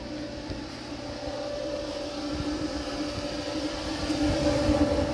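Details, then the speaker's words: Frigidaire-built Kenmore electric dryer, reassembled after its fan was found to cause a loud noise on heat cycles once warm, now on high heat and warming up: smooth, even hum with a steady low tone, no rubbing or thumping. Normal running. "we'll put the dryer back together and give it another test for a while and see if if it stays quiet okay it's all back together now have the heat on a high"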